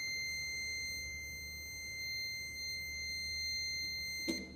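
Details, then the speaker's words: Continuity tester on a circuit with ELCB/RCCB tripping: a steady high beep stops with a click when the neutral wire is disconnected. This confirms a direct neutral-to-earth short was causing the tripping. "Wire disconnect ചെയ്ത് കഴിഞ്ഞപ്പോൾ നമ്മുടെ beep sound പോയി. അതായത് ന്യൂട്രലും എർത്തും തമ്മിലുള്ള direct shortage മൂലമാണ് ആ ഒരു tripping ഇവിടെ സംഭവിച്ചു കൊണ്ടിരുന്നത്."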